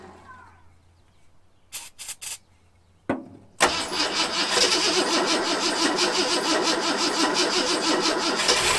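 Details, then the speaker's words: Long-parked 1974 Ford F100 with gasoline poured into the carburetor: cranking bursts, then it catches and runs harsh and loping, about three pulses a second. Owner suspects a clogged carburetor and plans a carb kit. "But it is sort of running, but I'm pretty sure that carburetor is good and clogged up."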